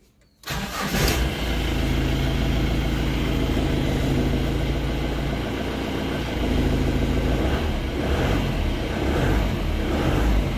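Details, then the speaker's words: Bolero diesel with low pickup after refuelling from low fuel, tested with fuel pipes drawing from a bucket instead of the tank: starts at once, steady even clatter, revs cleanly to nearly 4000 rpm with free return flow; pipes clear, blockage at tank. "So ఇప్పుడు చూసారు కదా నేను register చేసినప్పుడు nearly 4000ఆపm వరకు వెళ్ళింది. So okay vehicle start చేసి return కూడా ఫ్రీగా వచ్చే అడ్డంక ఏమ లేదు."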